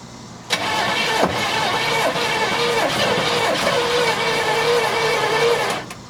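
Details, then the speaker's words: 1972 Chevelle Malibu, original numbers-matching small block with automatic, sat 15 years: key on, starter fluid sprayed. About five seconds of cranking with a few ragged sputters that never catch. "well it did sputter a little bit so that's good give it a little bit more give it some choke of course it'll take a little bit for it to get down into the uh cylinders"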